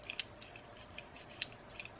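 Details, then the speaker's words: Vintage Lejeune women's bicycle rear freewheel, spun by hand during restoration: sparse dry clicks with faint gritty rasp, sand inside; to be soaked in diesel, blown out and regreased. "Donc je vais l'enlever, ce pignon, voilà, et je vais le faire tremper parce que, alors on entend bien le cliquer,"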